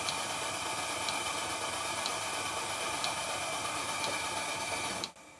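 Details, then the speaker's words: Stuart 7A model steam plant running on compressed air in very cold conditions, after fitting a globe valve to the steam pump outlet: even airy hiss with light regular chuffs, runs smoothly until shut off. "later on in the video a bit of a problem developed with the engine but i'll stop the narration for a while so you can hear the sound that the steam plant is making"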